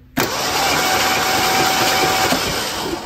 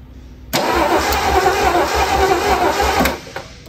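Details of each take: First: 1976 Ford Bronco Sport parked for 30 years, cranking after the starter and solenoid were fixed (solenoid tested with 12 V output): the starter spins the engine over steadily at an even pace with no grinding or clicking, so cranking is healthy. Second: Ford Bronco Sport parked 30 years, starter and solenoid just fixed, spark plugs reinstalled, cranking: steady starter cranking at about three and a half turns a second for some two and a half seconds, never catches; coil has power; crank no start, cause unconfirmed.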